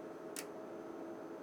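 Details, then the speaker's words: Fluke 5700A calibrator during its 15–20 minute self-test after motherboard repair: two sharp, dry clicks about a second apart over a quiet hum, normal relays switching as the unit steps through test conditions and ranges. "you can hear some relays clicking that's like as the calibrator progress to the different can test conditions it will select and switch different functions and ranges so there are lot of relays on each of these boards and it's like a music"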